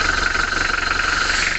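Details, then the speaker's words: A Mitsubishi L300 diesel after rocker arm replacement, valve clearance adjustment and nozzle resetting: even, steady idle with a regular quick pulse and no knocks or misses. It runs smooth and has more power. "kondisi mesin sangat garing dan halus ya tentunya lebih bertenaga"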